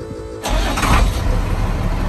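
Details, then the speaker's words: Old International dump truck diesel parked about 15 years, after cleaning corroded battery terminals: starter whirs briefly, engine catches almost instantly and settles into loud steady run; quick start after long storage. "holy crap did you guys just hear that did you just hear that man i have no idea how long this truck has been sitting here i was not expecting to fire up that fast relatively uneventful and it sounds like it's running really good"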